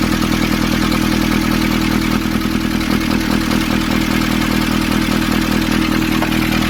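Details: 2015 Nissan Urvan ZD30 diesel after its no-start was fixed by cleaning a black, dirt-clogged part: steady, even idle with a regular beat and no stumbles or hunting; settled and running right.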